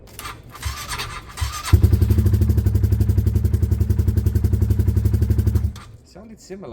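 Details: Motorcycle starter turning over with even, sluggish pulses, nearly four a second, for about four seconds without catching; slow cranking on an old, possibly weak battery that still has some life.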